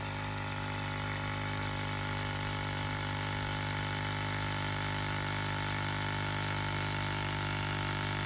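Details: 1999-07 Ford F-250 Super Duty Power Stroke (7.3 or 6.0) vacuum pump drones continuously without cutting off due to a vacuum leak, with defrost-only HVAC airflow and non-working 4WD hubs; suspected slit vacuum hose.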